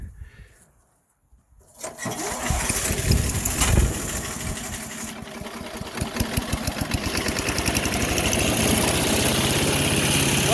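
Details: Craftsman 4 HP wood chipper/shredder with a new Chinese carburetor, started to warm up: it catches after a couple of seconds and settles into an even, steady putter without missing or knocking; normal start and idle.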